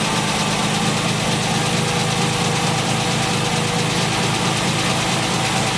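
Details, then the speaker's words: 1968 MGC idling smoothly and steadily with no stumble or misfire, right after fixing a no-start that followed fitting a refurbished distributor and new coil; the bad coil was confirmed as the only problem. "okay so you can see there that obviously the fix worked and that coil was my problem and my only problem"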